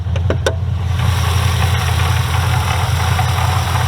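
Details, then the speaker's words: Holden VF HSV GTS LSA supercharged V8 at idle: a faint, uneven rattle-like knock from the worn spring-loaded isolator coupling inside the blower, which needs replacing with a solid coupling. "hear that noise that sounds like a rattle sort of a knocking noise that's actually the isolator coupling inside the blower that actually needs to be changed out"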